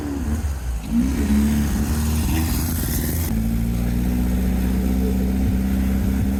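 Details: VW sandrail dune buggy, air-cooled flat-four: revs up, then settles into an even, steady run with all four cylinders now firing cleanly. Normal running.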